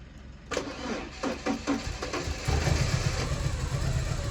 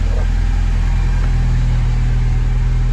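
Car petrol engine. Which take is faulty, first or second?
first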